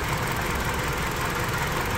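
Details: 2005 Hyundai Sonata 2.4L petrol, 169,000 on the clock, check engine light on, idling with an uneven, lumpy beat: misfire on cylinder 4, whose coil produces no spark despite having supply.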